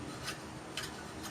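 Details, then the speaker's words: Chevy 350 Vortec Suburban, 243,000 miles, no-start: faint scraping tick about twice a second as the distributor shaft is turned by hand; chewed gear, shaft sticks and rubs against the cam sensor. "as well when you spin it it doesn't spin smooth it gets stuck it hits the cam"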